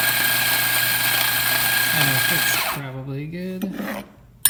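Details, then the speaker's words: Macap M4 coffee grinder after service, which had stopped grinding because it was clogged with dirt; cleaned inside and out, broken worm knobs replaced. Steady motor hum with gritty grinding, then smooth spin-down; grinding normally. "so we shined it up all inside inside and out and here it is working once again"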